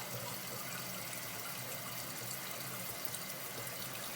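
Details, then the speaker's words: Toilet fill valve refilling the tank during a hissing-toilet repair: a steady, even hiss of rushing water with no sputter or whistle until the float shuts it off. Normal refill. "we're just going to go ahead and wait and see what happens when this water has filled all the way"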